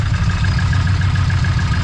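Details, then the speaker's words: Idling engine that misfires a little and has a loose belt and loose engine mounts: fast loose metallic rattle over the low rumble, attributed to the throwout bearing; clutch fork connection to bearing is sloppy. "But if you hear that rattling, that's all the throwout bearing."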